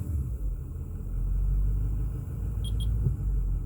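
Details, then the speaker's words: 2008 Ford F450 6.4 Power Stroke diesel with intermittent crank-no-start and no throttle response: deep, steady idle with no stumble for now, before it later stumbles on its own; problem worse cold but also occurs hot. "sometimes it'll start sometimes it won't start now it's working"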